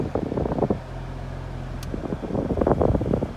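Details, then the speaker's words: Cheap Prius after replacing a noisy, sometimes non-working blower motor: steady rush of air with a low even hum, no squeal, rattle or ticking; blower runs cleanly with AC on. "now it's on and I couldn't hear any noise and AC is on on let me try the uh blower"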